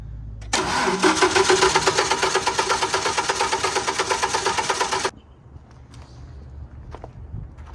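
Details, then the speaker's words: Generac 50 kW propane generator, spark confirmed but weak, spark plug refitted: about four seconds of rhythmic cranking at roughly three turns a second, never catching, no gas reaching it. Owner suspects a light tank or that the fuel solenoid valve isn't opening. "so it doesn't seem to be getting gas i'm going to close this off for now"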